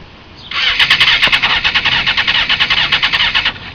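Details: 2001 Honda CBR F4i, 31k miles, after a low-slide crash on the stator side and new spark plugs: starter spins the engine in a steady chug of about two pulses a second for three seconds with no firing. Cranks but won't start; cause not found.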